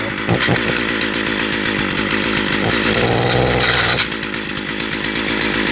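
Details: Stihl 028 AV Wood Boss chainsaw, sat for years, first run with good compression: crisp two-stroke buzz catches, holds rough idle and picks up cleanly on a brief rev; runs fine, clutch drum/sprocket not yet fitted.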